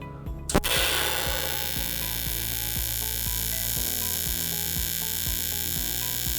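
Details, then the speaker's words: TIG welder switched to alternating current with an aluminium tungsten, welding aluminium; after the arc strikes a steady even high buzz with low hum underneath from the changed machine frequency, normal AC TIG welding buzz. "So you'll also hear that there's a difference when welding with aluminium because of the frequency of the machine that's changed."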